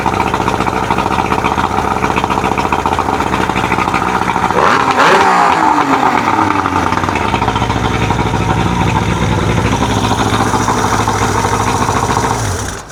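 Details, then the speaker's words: 1999 Johnson 70 hp two-stroke outboard, after turning the air mixture screws out to 3.5 turns. Smooth idle buzz that climbs cleanly on a quick rev and settles back without stumbling; no fuel leaks. Normal running after adjustment. "that sounds pretty good. Let's try it again. All right, I got no fuel leaks. We're idling nice, and she sounds fantastic."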